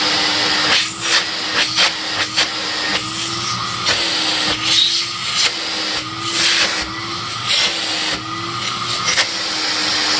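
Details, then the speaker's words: TriStar CXL vacuum with upgraded 9.5/10 A motor (model 6600-00), test run after replacing gravelly 608 bearings: steady whooshing fan roar, even tone, no grinding, rattle or squeal; normal running. "nice just fan noise not extraneous motor noise"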